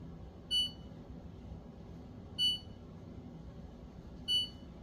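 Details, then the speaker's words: Whirlpool French door refrigerator with short power-up chime repeating about every two seconds, control boards boot-looping, fridge not cooling; caused by wet buttons. "and what it's doing is how I describe it's boot looping something has happened in the system"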